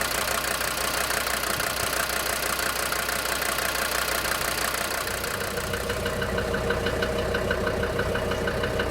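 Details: DB29 diesel at idle, foam in fuel and small bubbles in return line after about 3 minutes, not purging: sharp fast regular knock about three per second; injector knock, likely from air in fuel.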